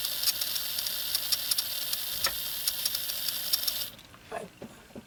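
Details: Farish N-gauge GWR Hall 'Sketty Hall' loco (R238): thin high-pitched squeal with faint ticking over the motor until it stops; oiling the drive gear didn't cure it, and the squeak was isolated to dry armature bearings.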